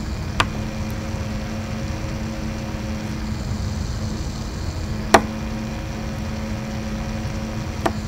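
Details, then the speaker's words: Replacement Noctua NF-A6x25 fan in an APC Back-UPS 1600VA 900W (BX1600MI), fitted in place of the loud stock ADDA fan: soft, steady low hum, running much, much quieter and smoother, without the vibration of the original. "Much much much much more quieter."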